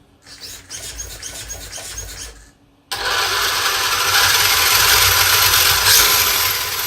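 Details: Arrma Mojave EXB on 8S LiPo with belted tires, on stand under partial throttle: motor spins up to loud steady high whir, no rattles; smooth healthy run.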